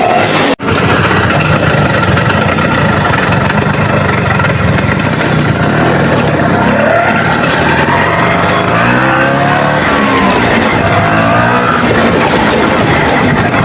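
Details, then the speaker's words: Vespa PX 150 two-stroke after an engine teardown for a gearbox fault (jumping out of fourth, hard to kick-start), run after a long warm-up: it runs continuously, and a few throttle blips rise and fall cleanly. Normal idle before the road test. "Jadi ini mesti kita panasin lama dulu supaya ee hisapannya itu apa ya? Lanyak ya, loncer, Teman-teman."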